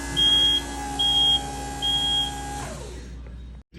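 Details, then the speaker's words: Skyjack 4632 scissor lift elevated about 9 ft, driving slowly after repairing a no-drive-in-air fault (worn bearing misplacing a sensor): steady high beeps about once a second over low motor hum; travel alarm working normally. "so as you remember it didn't drive in the air now we are elevated probably like 9 ft going slow and I think we are good to go"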